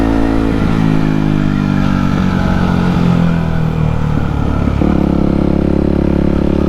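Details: Yamaha WR250X supermoto on test ride after fixing cutting out under full throttle: the single revs up crisply and holds steady under throttle, clean pitch rise at the shift, no hesitation.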